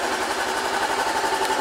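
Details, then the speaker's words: Wrecked 2013 Honda CB500X parallel-twin after battery charge: smooth even light ticking sewing-machine-like idle with faint steady whine, no knocks or misses; healthy idle. "and it sounds like a sewing machine when it's running"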